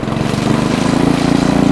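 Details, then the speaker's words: Ariens Deluxe 28 snowblower, LCT 254cc engine, just after carburetor cleaning and refill with ethanol-free fuel, choke off: single cylinder firing evenly with a steady fast beat, no hunting or stumbling; normal running. "Right on. Let's start right up. Nice and smooth too."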